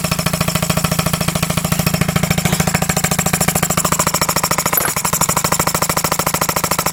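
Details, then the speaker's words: Homemade engine running on compressed air from about 50 psi, with a muffler that sounds like a glass pack and a low-PSI cutoff: rapid, steady chuffing exhaust beats of about twenty per second. It runs, but whether it makes full revolutions or just rocks is unclear. "I can't honestly tell me and my dad if this is just going back and forth or if it's um we have a cut off when it gets low PSI it tends to cut off if it's just going back and forth or if it's um actually turning all the way around"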